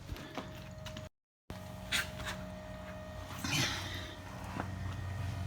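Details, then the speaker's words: 2016 Nissan Titan XD Cummins diesel after a fuel filter change, start button pressed twice without the brake: faint steady electric hum with a few clicks as the priming pump runs (up to 90 s). Normal fuel priming. "you want to press the starter button twice without pressing the brake poo and you can hear the prime pump kick on"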